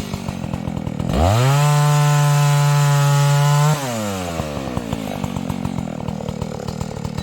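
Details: Vintage Husqvarna 285 chainsaw being rebuilt with replacement cases and cylinder: starts at a popping idle, revs cleanly to a strong steady scream, then drops smoothly back to idle. Owner says it stalls after idling, suspects ignition.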